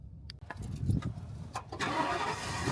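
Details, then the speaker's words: Ford motorhome picked up from Ford dealer after repair: clicks, then engine starts promptly and settles into quiet steady idle, much quieter than before repair; normal start. "Sounds good. Really good. Sounds nice and quiet. Doesn't sound like the last time I was in it."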